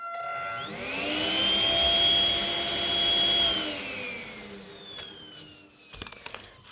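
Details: Ten-year-old 12 V snail-shell blower fan, bench tested: a high jet-like whine rises at spin-up, holds, then fades on coast-down, sounding like a turbo. Airflow seems unaffected and the cause is not yet found.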